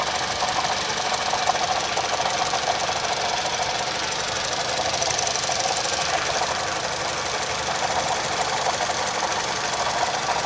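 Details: Engine with code P0016 (crankshaft/camshaft position correlation) that developed a knock: steady running under loud hiss with faint irregular knock about twice a second; cause unconfirmed.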